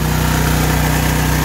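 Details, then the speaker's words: Generac MegaForce 6500 generator, about 20 years old with 71 hours, running at adjusted governed high speed of 61.4–61.5 Hz. Even, steady low drone with no misses, knocks or hunting; it runs healthy at full speed. "we've adjusted the high speed right here [Applause] 61.4 61.5 hertz is where you want it to be"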